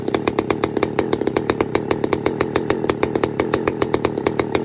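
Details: Pioneer P-41 chainsaw with big-bore kit: crisp, even two-stroke howl at high revs with quick regular firing pulses, about eight per second, held steady; normal running.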